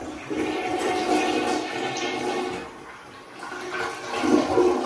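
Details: Upstairs bathroom toilet flushing properly on a second try: strong rushing gurgle of water draining cleanly, then refill wash; the first weak flush was probably just a low tank.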